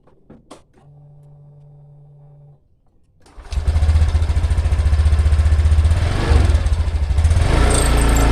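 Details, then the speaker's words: Honda Beat LED 2020 scooter, with parts replaced by imitation older Beat FI parts: a loud, rough, throbbing drone from the rear CVT on start-up, blamed on dry bearings inside the CVT. "untuk penyebab bunyi berisik Yang tadi itu salah satunya ada di sini di bagian CVT belakang ini kenapa Kok sampai Suaranya berisik karena pelor yang ada di dalam sini itu pasti kering"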